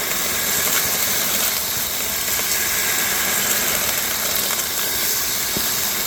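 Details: New cordless Ryobi 6-gallon wet/dry shop vac picking up a thick pile of gravel through the wand: strong steady rushing hiss with grit clicking up the wand, unstrained; normal suction.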